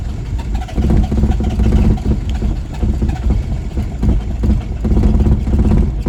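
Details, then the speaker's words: 1981 Isuzu Pup 2.2L C223 diesel, hard cold start at about 50-60°F after sitting a week. Uneven chugging surges and sags, never settling. History: botched timing belt job, pump timing re-set by a shop, CSD leak. Owner suspects fuel draining back; unconfirmed. "I don't think I've really heard that before sounds really weird very strange"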